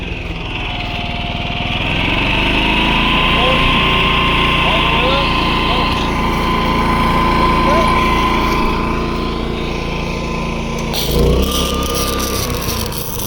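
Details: Predator 11,500 W inverter generator powering an inverter welder: hum holds steady and firm with a slight sag while the arc crackles over it; carries the load fine, arc strikes and holds well.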